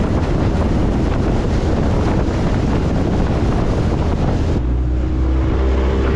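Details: Restored previously seized Honda 20hp four-stroke outboard running on the water: a steady low quiet hum under wind and water noise, even with no knocks or rattles; healthy.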